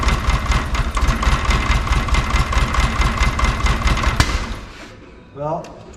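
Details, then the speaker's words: VW Beetle flat-four idling lumpy and uneven with a steady missing beat in the firing pulses before it shuts off. Number three cylinder is dead, suspected two and three, after a plug wire firing order mix-up. "number three is dead I'm guessing two and three are dead"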